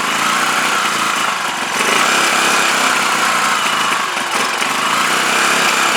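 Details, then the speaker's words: CPI SUV125 scooter just after its carb was stripped, cleaned, rebuilt and reinstalled, with the fuel tank temporarily fitted, started outdoors with the choke held. The buzzing engine wavers unevenly, "definitely not right". Still rough running, cause unknown; owner plans to adjust the carb settings. "a brand new card for this isn't a fortune but i would uh i'd prefer to get to the bottom of why it's playing off"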